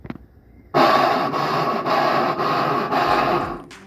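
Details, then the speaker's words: Electrolux LTE12 washing machine in spin: harsh rasping scrape pulsing about twice a second as the drum spins, possibly from a worn or failed pulley drive coupling that transfers motor power to the drum. "a sua máquina lavar tá fazendo um barulho estranho na centrifugação como se estivesse raspando algo o problema pode ser mais simples do que parece em muitos casos o barulho ocorre devido ao desgaste ou falha no acoplamento da polia"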